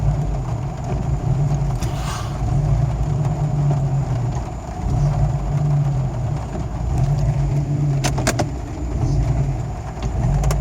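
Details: Jeep Cherokee XJ with a 1993 block, 7120 head, bored .060 over, new IAC, downstream O2 sensor wiring torn by driveshaft: idle surging and sagging every few seconds; owner suspects O2 wiring, unconfirmed; rough idle.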